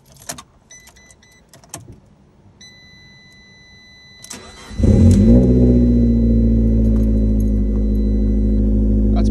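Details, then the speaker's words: Fiat Abarth 500 with engine swapped 8 months earlier, first start after cylinder head replacement and ECU tune, in neutral: keys, short crank, then steady, even idle with no knocks or misses; sounds good. "Sounds good."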